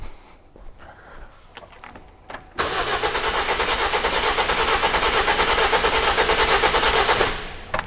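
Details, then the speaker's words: 2007 Toyota Corolla four-cylinder petrol, rough idle complaint: cranked about four seconds for a relative compression test with a current clamp, and the cranking beat sounds slightly lumpy and uneven. Low compression suspected on some cylinders. "but the way the engine cranked i didn't like it so i'm gonna just do a compression test real quick"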